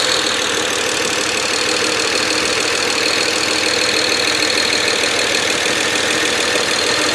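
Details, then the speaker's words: BMW 335i just after replacing and INPA-coding two leaking injectors (#1, #6): first start with two injectors and lines full of air, busy, uneven hiss-heavy note that wavers; rough running from air in fuel lines. "Now it's going to start rough, right? I've got 2 injectors and two lines that have no fuel in them. They're full of air. It's going to stumble and whatever."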